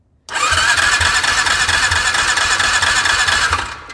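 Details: 2002 6x6 with a new BKR6E plug showing good spark and a new air filter. Starter whines and cranks at an even beat of about three per second without catching: low compression.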